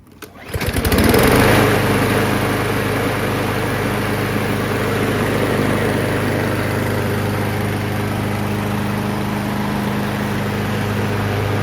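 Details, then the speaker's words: 20-year-old Craftsman EZWalk mower, Briggs & Stratton engine, brake control cable replaced: single-cylinder catches quickly and settles into an even, steady buzz with no misses or knocks; normal running. "so this machine runs really well let's go ahead and start it up"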